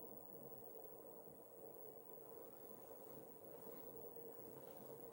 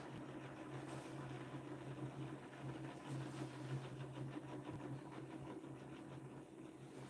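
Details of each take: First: Pulse motor on maglev bearing, run from power supply charging a battery: very quiet, even hum with faint steady tone, no rubbing or knocking; levitated rotor spins smoothly. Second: DIY pulse motor rotor riding down on its bearing at up to 3,500 rpm: steady low hum with a chattering buzz-saw noise but no shaking. The noise comes from riding on the bearing and goes quiet when the rotor is magnetically lifted.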